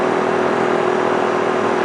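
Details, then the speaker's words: Small 800/1000 W generator after the Frigidaire 5000 BTU air conditioner's compressor kicked off: steady, even, quieter engine hum with no knocks or surging at lower load; idling normally with the load removed. "You can hear the compressor kicked off and the generator got quiet."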